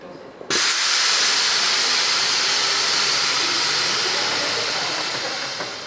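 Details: Truck (UBTK5) with newly mocked-up Accuair e+ Endo CVT air management, front raised: sudden steady rush of air holding several seconds then easing as bags fill, very quiet compressor; normal air bag inflation.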